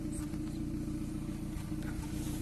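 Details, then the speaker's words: 2014 Kia Cerato at idle, injector 1 cut via scan-tool actuation test: uneven puttering stumble stays unchanged, so cylinder 1 is the dead, misfiring cylinder, with no fault code or misfire count. "هذا دليل على شنو؟ ان المسفاير كان في السلندر الاول، هذا عليش لما وقفنا عليه ونفس الصوت استمر."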